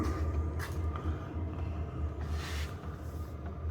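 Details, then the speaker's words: Diesel heater installed in an Alu-Cab canopy camper, fired up with silencer fitted on the exhaust, already used one night without issue: quiet, soft low pulsing hum with a steady beat and no rattles or surging; normal running. "well there she is she's all fired up and running we've got the silencer on the end now we have actually been away one night and used it um everything was sweet"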